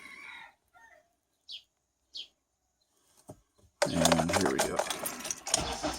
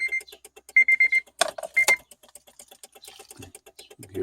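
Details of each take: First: Honda Element with intermittent dash-cluster clicking, flashing key icon and no-start, worse in cold weather, after shifting the dash to relieve pulled wiring: faint clicks, short crank, then a steady even idle; starts normally. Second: Honda Element, key in ignition, no start: fast light relay ticking behind the dash cluster with a chime, key icon flashing, from a loose or dirty cluster connector; worse in cold weather.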